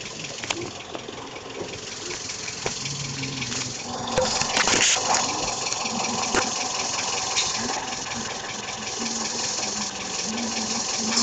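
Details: Toyota Vios petrol engine making a light, fairly regular clicking, about three to four a second, at around 1000–2000 rpm.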